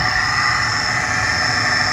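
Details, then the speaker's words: Worn blower motor with rust coming out of the bottom, drawing about 80 amps versus about 40 for the new one on second speed: steady loud whir with a rough, hollow drone and no change in speed. "I can already tell we have a bad broiler motor look at the I get the rust coming out the bottom here"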